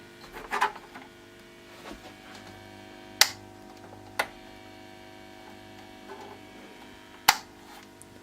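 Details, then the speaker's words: Mid-1930s vacuum tube radio, mouse-nest set awaiting restoration, tuned to shortwave: low steady buzz with faint hum tones from the speaker and handling clicks; picking up interference from a CFL lamp. "not exactly sure it's picking up noise from the CFL that's a good thing"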